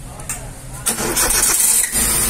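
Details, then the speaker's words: Chevrolet Beat with company-fitted LPG system after servicing for slow starting at stops: gasket, filter and diaphragms replaced, about 1.76 lakh km. A brief crank and the engine catches almost at once and settles steadily, a normal quick start with no leakage. "see now the starting trouble is not there it is assured everything there is no leakage"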